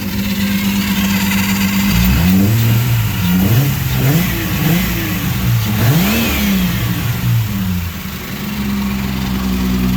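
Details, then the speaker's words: Ecotec-swapped engine revving smoothly after coil pack leads were re-ordered to the correct cylinders; fuel pressure good, runs much better, no knocking, owner assumes a background noise is the power steering pump; normal revving. "Fuel pressure's good. Oh, that seems a lot better."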